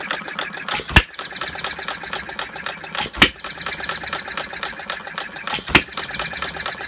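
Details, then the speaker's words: 1/2-scale Paul Breisch Olds hit-and-miss gas model engine, freshly restored, 6 V coil, run as slow as possible, no water: quick valve-gear ticking, sharp bang about every 2.5 s; fires every draw, sometimes draws twice; normal. "Just on one draw, it fires every time it draws in fuel. Sometimes it might draw in twice, but even when it draws in twice, it fires every single time."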